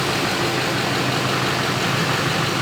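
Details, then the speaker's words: Chevy Silverado 2500 LMM Duramax diesel idling steadily with even clatter, no misses or surges, just after an oil change and a fuel filter swap with a primed system (a little air may remain); fender liner off to check the bottom fitting for leaks. "got the truck running, as you guys can probably hear."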